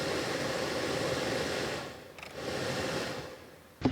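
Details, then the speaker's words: 2004 Dodge Ram 1500 Hemi (2002–2005 style) blower motor heard running smoothly and steadily with no squeal or rattle, yet only faint air reaches the vents; the recirculation/blend door was found detached, so the blower itself is normal. "so blower motor appears to be fine I might turn it on so you guys can watch"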